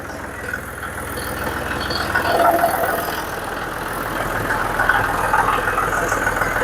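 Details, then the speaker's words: John Deere 5055D tractor, earlier fuel starvation while bush hogging, after cleaning sludge from the fuel tank, replacing the outlet screen and priming the fuel system: steady diesel clatter rising smoothly and holding even at about PTO speed; runs great. "I revved it up and wrote drove around just a little off at the uh PTO speed so that uh make sure it was getting good fuel it ran great"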